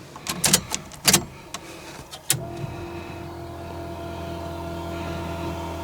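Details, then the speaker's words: Tunnel-rammed V8 in the '74, cold start at about 38-39°F with the fuel pump off after one pat of the throttle; clicks, fires at once and holds a steady even low drone; normal cold start. "It's about 39, 38 degrees. Well, there you go. That's a cold start. That is the process with this tunnel ram."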